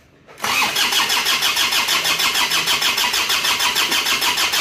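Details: Isuzu Panther diesel after rebuild for blow-by caused by coolant loss, refitted with cast liners and old pistons, new fan belt: catches instantly from the starter and settles straight into a steady, rhythmic idle clatter; clean first start.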